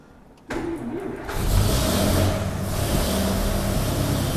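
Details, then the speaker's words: 1932 Nash 990 Series straight-eight after tune-up with new points, not yet warmed up: starter crank, then fires and settles into an even, steady run with a clean rev; running much smoother than before. "i think it's running a lot smoother than it was oh yeah new points"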